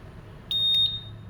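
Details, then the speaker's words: Honda Vario 150 smart key SCU bench-tested on a smart key simulator, confirmed good; single clean high beep, then the alarm chirps once as ignition and remote are switched off, responding normally. "Mati. Alarm. Oke, alarm sudah oke."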